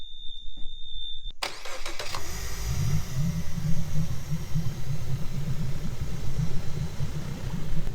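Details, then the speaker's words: Suzuki DF70A four-stroke outboard started after a warning beep, settling into a lumpy, shaking idle from a consistent misfire; shakes more when revved; spark plugs suspected as the cause, an inexpensive fix. "So it is running, but it is shaking a lot at idle. If I was to rev it up, it would shake a lot more. So I'm pretty sure it's just spark plugs."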